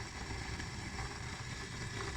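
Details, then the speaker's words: Automatic sliding gate opener motor running: continuous coarse rumbling hum with no let-up; bearings inside (6203 and 6003) are rusted and badly worn, while the electronics still work. "Tuh bunyinya kencang banget di dalamnya itu bermasalah."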